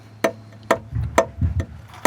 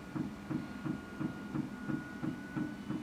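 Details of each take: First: Airstream Rangeline, unleaded-fuelled Timberline heater running: sharp metallic ticks about twice a second from the small piston fuel pump. The pump is unshielded and bolted directly to a frame bar, so the ticking resonates through the whole frame, before any noise damping. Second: Airstream Rangeline van Timberline heater fuel pump (unleaded) after noise-reduction enclosure mod: steady even ticking about three times a second, substantially quieter than before but still very noticeable; normal fuel pump operation.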